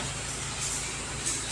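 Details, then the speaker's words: Geely Okavango 1.5TD that would not start, confirmed by scanner as a faulty non-charging 48V hybrid system: now running, steady low idle hum under a hissy background, even and free of knocks or misses; idling normally. "yan guys talagang umandar na."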